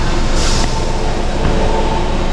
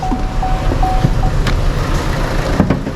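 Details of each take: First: Chevrolet Sonic with a P0300 misfire code, reduced-power message and poor acceleration after an engine wash; water removed from the spark plug well and plug cleaned. Restarted, it no longer shakes: a smooth, steady idle, and the scan tool then shows zero misfires on cylinders 1–3. Normal idle. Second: Chevrolet Sonic small turbo engine, P0300 and reduced-power warning: shakes and stumbles when revved, then revs cleaner but cuts off at 3000 rpm while parked; uneven thumping idle; misfire traced to water pooled in the plug well after engine wash.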